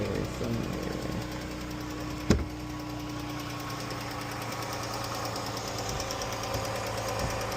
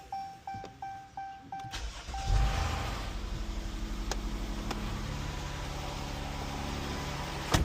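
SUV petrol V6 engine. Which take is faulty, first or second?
first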